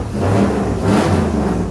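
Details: Turbo LS3 240SX after replacing a bad lifter plus new head gasket, head bolts, exhaust manifold gasket and an oil change: a strong, smooth rev that rises and falls evenly with no valvetrain ticking.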